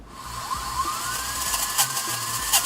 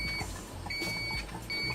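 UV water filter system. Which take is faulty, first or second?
second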